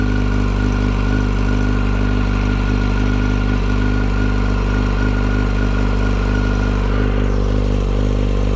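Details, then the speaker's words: 2008 Yamaha FZ1 at idle, checked with listening tools: thin high whine over the engine note, much louder at the clutch cover than the crank area and cam chain drive; cause unconfirmed. "okay so it was much louder on the clutch cover than it was in the crank area and also in the km drive with the timing chain and the cams I did hear it in this area but it was way quieter than it was here"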